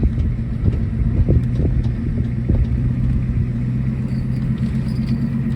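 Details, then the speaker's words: 1980s Ford F-250 diesel field find pulling away in third gear: rumbling diesel with a few sharp bangs in the first seconds of takeoff; suspected worn transmission mounts, not confirmed. "that Hood's coming up transmission mounts out you hear that bang when I left yeah I did"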